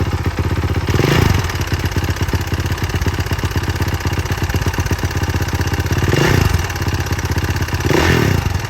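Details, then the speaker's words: 2018 Honda CRF450R with a known engine knock: idle carries a fast clatter, about four a second, louder with each throttle blip; only under throttle, owner suspects the decompression valve, unconfirmed. "It's weird because it's only when you give it throttle, so it kind of leaves me thinking that it's maybe the decompression valve, but you never know in these things."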